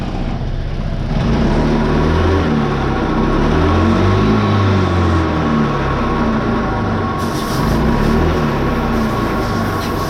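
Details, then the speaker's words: Honda PCX scooter at about 70,000 km, serviced at a dealer where the variator was changed roughly 10,000 km earlier: engine revving with a coarse, rattling rumble from the variator and clutch. "Evet arkadaşlar varyatörden harıl hurul varıl vurul ses geliyor."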